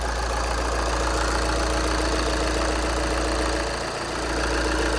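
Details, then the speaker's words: 2014 VW Jetta SportWagen TDI, 2.0 L CJAA diesel, 115,000 miles, Copart salvage listed as non-starting, first start after charging the battery: steady, even diesel idle clatter with no misses or hunting; healthy idle. "wow it sounds so good the auction listed it as does not start and it idles nicely"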